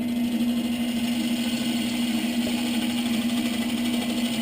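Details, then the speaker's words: Lathe roughing out a split-log birch bowl blank with a gouge on a draw cut: steady hum with a rough, fluttering scrape as the tool chatters and bounces on the blank. "so you can kind of hear the chatter and you can see a little bit of a shadow here so you know like right in here we're pretty good"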